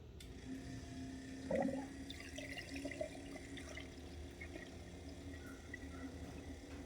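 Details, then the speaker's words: Sand car pump powered up: a faint, even pump hum under steady trickling and gurgling water. The coolant is circulating, with no leaks, and the pump sounds healthy. "sounds like it's circulating I don't see any clumps leaks I don't see any leaks pump sounds really good I hear it gurgling"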